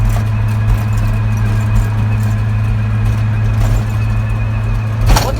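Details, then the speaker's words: Steady low howl under road noise while driving, after new bearings, seals, rotors and pads were installed; it starts after about half an hour of driving and stops when the vehicle stops, so the source is unconfirmed, something moving in the rotating front end. "I start driving, and then after about a half an hour, if I'm driving for that much, it starts out of nowhere. So when I come to a stop, it freaking stops as well."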